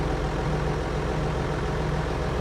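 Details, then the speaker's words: John Deere 7420 with Stanadyne DE10 injection pump, first start right after pump replacement and pin-timing for ECU 1076 fault: low steady diesel rumble, no misses, knocks or hunting; running nicely, though a high-pressure line behind is leaking and needs tightening. "Oh, seems to be running pretty nice."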